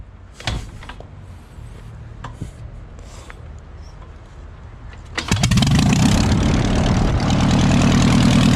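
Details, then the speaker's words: Airboat engine restarted after being made to run: a few quiet knocks, then it catches easily and settles into a steady, even run with a firm beat. A healthy, smooth normal running sound. "all right so I got the airboat running today which is exactly what I wanted to do today motor running attack ship pretty good"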